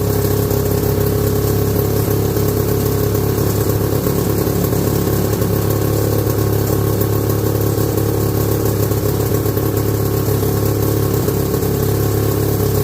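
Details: 1969 or 1970 Sears snowmobile with a single-cylinder Kohler two-stroke, left sitting outside about a year, on its first run after revival: loud, steady fast-idle buzz, slightly ragged. It is sucking air, so it runs lean.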